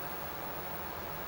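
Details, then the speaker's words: ColecoVision console, TV audio after reset: steady even hiss with no rhythm or mechanical beat, noise coming through the TV sound. "Boy, there's some horrible noise. I guess that's what we're talking about, is that noise."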